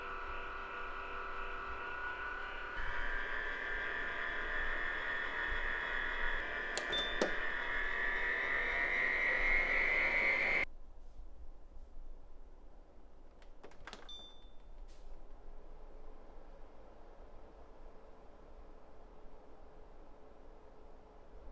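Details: Winix C535 air purifier before repair: loud whirring fan with high whine rising in pitch and rough grinding undertone from worn motor bearings, later replaced with NSK 608ZZ bearings.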